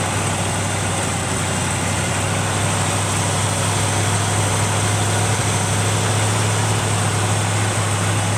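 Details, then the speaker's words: 1971 Chevrolet C20 pickup with a 454 big-block swapped in after the 402 dropped a valve: the V8 idles roughly with an uneven, stumbling beat and a steady hiss; a vacuum leak at the carburetor base is identified. "Whoa! Oh! That thing, not idling worth a poop. It's got a vacuum leak at the base of the carburetor."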